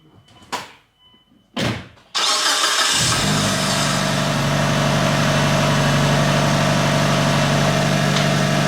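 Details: Mitsubishi Evo 5 after an ACT twin-disc clutch install, first start checking whether the old noise is gone; the transmission had no oil yet. Two short cranks, then a steady, even idle with no knocks or grinding, a normal start.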